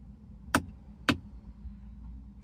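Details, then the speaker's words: BMW E90 that sat 1.5 years on a battery maintainer and won't start, battery about 12.2 V, clutch in and brake pressed: sharp single clicks about half a second apart as relays chatter on their own, with locks cycling erratically. "It just does a bunch of crazy stuff. It's clicking on its own."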